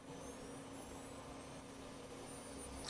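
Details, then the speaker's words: DIY sensorless BLDC ESC running Afro SimonK firmware, no position sensors: the motor's steady electric whine rises as the potentiometer raises the duty cycle, spinning up smoothly; normal acceleration. "you can hear that the motor is actually speeding up and now this is actually operating in sensorless mode"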